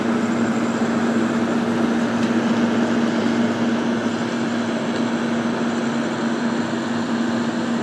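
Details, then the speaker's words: Late-1960s Sears Coldspot 18,600 BTU air conditioner after fitting a brand-new Fasco fan motor, heard from the front: loud, steady hum with an even airy rush and no rattles or surging. Sounds healthy, just loud. "take a walk around the front hear how loud it is"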